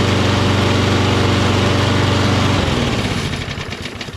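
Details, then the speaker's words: Toro Recycler XT675 Kohler self-propelled mower after cleaning sticking choke flap and air filter: small single runs with steady, even beat before easing down; smooth, normal running. "There ain't nothing wrong with it now."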